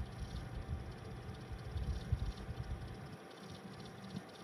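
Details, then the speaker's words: Running desktop PC case fan: uneven low rattling flutter over its hum; dry sleeve bearing in case fan. "что он издает какие-то посторонние звуки Так сейчас я покажу как это устранить"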